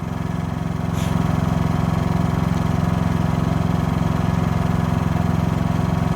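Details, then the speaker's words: New Harbor Freight Predator 5000 watt dual-fuel generator on first run, started by synchronized remote: even, low, smooth hum with steady pulse, quiet enough that a nearby fan is audible over it; normal running. "I can pretty much hear my fan over this. Can you hear that fan? I don't know how well you're hearing if you're That just shows how quiet this thing is."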